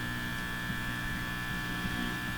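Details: Hallicrafters TW2000 communications receiver: constant low mains hum in the audio with no station behind it; scope shows significant power-supply ripple, so filtering is being addressed, though the owner doubts this will cure the hum. Source not yet pinned down.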